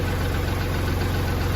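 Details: Kubota tractor diesel that wouldn't crank despite power and good fuses, now running after a jumper wire bypassed the weak ignition/start switch: steady low chug at idle, even and unbroken, no misses or knocks; smooth.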